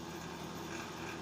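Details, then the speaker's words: Junk space heater after repair, on highest heat setting (1500), heating well; brief even whir with soft steady hum, no scraping or stalling; normal fan running after repair. "there we go heat's working great it's on the highest temperature 1500 nice and warm you can hear that fan let's listen to it a little close fans moving in there"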